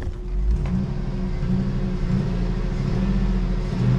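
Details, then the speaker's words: GMC with an LS engine, plagued by lifter rattle that the owner suspects Pro Lube treatment worsened; after Valvoline and Restore were added and oil pressure rose a little: a steady low idle with only a faint light tapping. Lifter tick eased. "we got the valine iner and the restore she's sounding better it's not clattery as"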